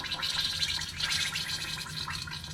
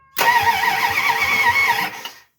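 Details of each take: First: 1971 Plymouth Satellite wagon engine turned by hand during removal: wet, irregular gurgling from the cylinders, showing compression. Metal and plastic bits, likely from the timing gear, were found in the oil pan, and the bottom end seems fine. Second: 1971 Plymouth Satellite Wagon, freshly replaced engine, before first fire: strong, even whirring crank for about two seconds, steady rhythm, no grinding or hesitation; starter turning engine over well.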